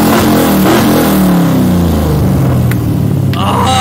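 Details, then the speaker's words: LS V8-swapped Mazda Miata on its road drive after a misfire from two injectors was fixed; the V8 pulls hard, rising smoothly through the revs under road and wind noise, with no stumble. "i was so excited i forgot to record an outro but man this thing is a beast i've never even seen a v8 miata in person before"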